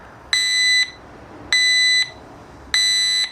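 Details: Stark Varg electric motorcycle just after water pump replacement and coolant refill, switched on with green light: three even half-second high beeps about a second apart on startup; warning cause unknown, owner suspects an update.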